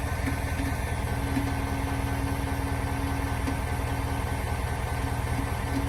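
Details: 2021 Ford Super Duty F450 Powerstroke diesel, bought new: steady idle with a thin constant whine unchanged in pitch; dealer suspects lift pump, Ford calls it normal; whine at idle.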